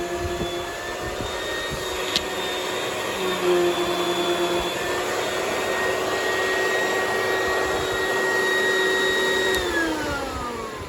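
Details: Oreck XL XL9100HG vacuum after clearing fan jam/clog that made the motor grumble, run briefly with old-style fan housing: steady even motor roar with constant whine, no rattles, scraping or surging; airflow restored, running normally.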